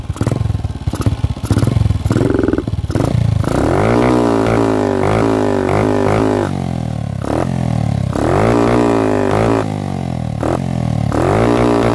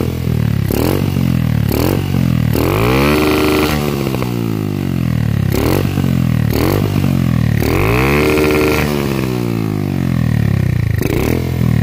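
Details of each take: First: Carbureted Honda CG single-cylinder with a high-cut CDI, after carburetor swap and larger jet, revved hard stutters and cuts out at high revs, fine at low and mid; carburetor suspected, not resolved. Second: Carbureted Honda CG single-cylinder with a CDI (no-cut/high-cut type) revving cleanly to the limiter and stuttering evenly after swapping an imported carburetor for an original one; it previously misfired at high revs, now cuts normally.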